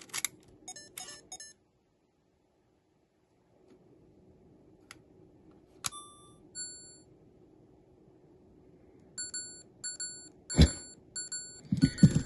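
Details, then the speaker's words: Sony Handycam DCR-HC19E camcorder from about 2004-05 with faulty tape mechanism, after attempted repair: repeated bursts of short high beeps amid handling clatter with error C:31:40, a tape load error. "Well, what's that error? What is that one? Load error is basically what it is."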